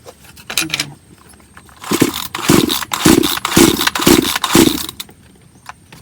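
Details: Bonto 5200 chainsaw that won't start: about six pull-cord strokes and it never catches. Compression was checked by hand and fuel is getting through, but the fuel in the tank is suspected stale.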